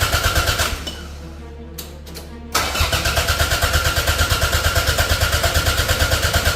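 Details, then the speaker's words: Toyota MR2 track build, first start after an engine transplant from a donor, with no coolant in. The starter cranks briskly and evenly, about three turns a second, but it never catches; the owner suspects no spark and a missing earth. "Okay. So, I don't know if we've got fuel or spark or what. We got no coolant in the car at the moment, but the good thing is it's cranking over."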